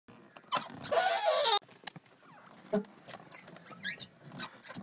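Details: Car door hinges squeaking since shut the night before: short, loud, high squeal over about a second as the door swings shut; dry door hinges and spring needing oil.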